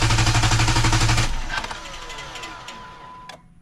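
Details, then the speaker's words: 3.8-liter engine in clear-flood mode cranked by the NovSight G5 6000A jump starter, one of four good cranks before the unit seemed to warm up: fast, even starter chug about four beats a second, stops without firing; healthy cranking. "Okay, that was four good cranks. And I believe the unit probably senses that it's getting kind of hot."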